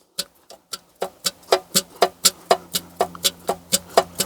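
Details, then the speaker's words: Ruston PB8 engine being rebuilt: a replacement piston rocked in the original worn cylinder bore gives sharp metallic clacks about twice a second; piston slap, bore far too worn for that piston, so the original matched piston will be reused. "That's the piston going like that in the cylinder. So that piston, or that cylinder, is far too worn to accept that piston."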